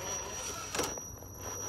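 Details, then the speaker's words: Holmes BRXL brushed ESC on an Optimus 3 rock crawler with Proline Predator compound tires and CI 4.25 Lil Nova foams, crawling rocks with no front overdrive: thin steady high-pitched whine under tire noise; normal for this controller. "now the noise you're hearing is from the homes BRX LC it just kind of makes a"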